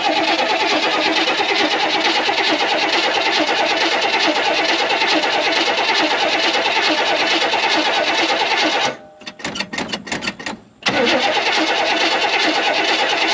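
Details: Barn-stored 1969 Buick Wildcat V8 after distributor and timing work: smooth, even idle, steady beat, no knock or miss; timing judged about right.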